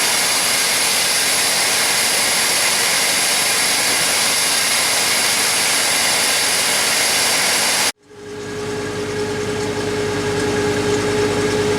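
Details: 1991 GMC Jimmy with aftermarket PCV housing, first start after fitting recommended PCV valve: harsh rushing roar, cuts out, restarts and settles to rough then smoother idle; intermittent stalling, owner suspects O2 sensor.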